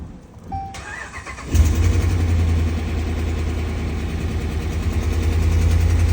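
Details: 2013 RAM 1500 5.7 Hemi V8 cold start: cranks, catches, then struggles into a lumpy, uneven idle, code P0300 multi-cylinder misfire.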